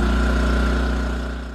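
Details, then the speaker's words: A-iPower SUA2000i/SC2000i 2000 W inverter generator after cleaning a clogged carburetor main jet that caused a no-start, producing 124 V at 60 Hz. Steady, even idle-mode hum with no knocks; idling normally. "Idle mode is working great."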